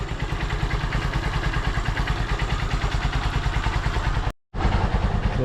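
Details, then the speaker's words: Honda Supremo five-speed, which starts in two kicks after an adjuster fix for hard starting: a steady, even idle thump about three times a second with a brief dropout, no knocks or misses; healthy. "so Wala akong masabi dito sa alaga kong si ror lahat ng fan kento ako sa takbo niya sa lakas niya sa kondisyon ng makina niya nakita niyo naman dalawang tick lang mandar"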